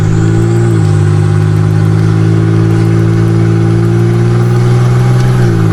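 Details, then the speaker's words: Nissan 300ZX turbo convertible (~200 hp) on a test drive with no exhaust fitted: a very loud, raw drone climbs steadily under load, then shifts pitch on the gear change, with the turbo winding down. An unsilenced exhaust note. "God, I love the best part about not having an exhaust is that turbo winds down."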